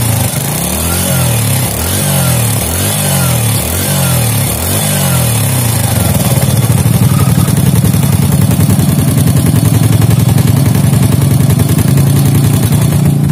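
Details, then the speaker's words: Fit-X New motorcycle after worn rocker repair, valve clearance set normal. Revs rise and fall, then steady idle with a faint quick tick as the cam closes; a worn cam lobe lets the rocker go slightly loose; valve-train tick. "Sudah ya, dan memang ada sedikit kayak tik. Nah, itu adalah posisi ketika apa itu ya, nokennya itu menutup."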